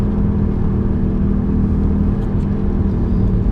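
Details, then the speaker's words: 1995 BMW E36 318i cruising on wet roads: a steady low whine over the road rumble. The previous owner's mechanic said the rear wheel bearings are worn. "Now, I was told by the previous owner that the mechanic had looked at it and said it was worn rear wheel bearings."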